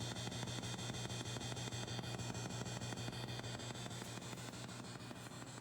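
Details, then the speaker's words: 1970s vintage Fender Twin Reverb, vibrato intensity about six: steady tick-tick roughly two per second over idle hiss, keeping time with vibrato; known problem of the vibrato oscillator bleeding into output, intermittent. "is the problem we have with this right now is that the vibrato has got this it's a known problem it's a tick tick tick that goes on in the background"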